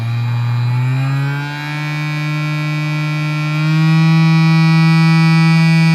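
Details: Cheap massager motor on PWM speed control, with a loud buzzing whine climbing steadily in pitch as the supply voltage is raised above its original 3 V (toward 6 V): the motor is overdriven by overvoltage.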